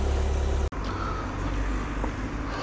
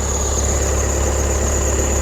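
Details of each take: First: VW Passat B8 2.0 diesel 110kW (11/2020), after thawing about half an hour on a cold morning: steady low idle rumble, alternator belt no longer squealing; earlier squeal blamed on high morning charging load making the belt slip. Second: 2020 VW Passat B8 2.0 diesel 110 kW, cold start after long standing in frost: thin steady high-pitched whistle over idle from alternator belt, owner suspects higher morning charging load making belt slip; stops once warmed, accessory belt squeal on cold start.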